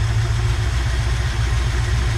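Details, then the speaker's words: 1969 Ford F-250 V8 sitting since 2001, engine had been stuck, running off fuel bowl: low, lumpy idle with uneven beat, stumbles and shaking; idle misfire, owner suspects possible bent pushrod from a stuck valve. "it's shaking a little bit like it's missing"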